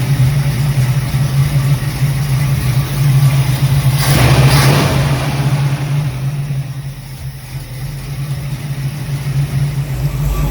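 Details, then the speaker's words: Ford Mustang V8 with a replaced carburetor, cold idle after fixing a worsening intake vacuum leak (1-inch spacer swapped out), running for the first time in 2 years; steady, even low burble, brief rise then settling, no hunting or surging: normal smooth idle. "It's running for the first time in 2 years. Extremely smooth and consistent on cold idle."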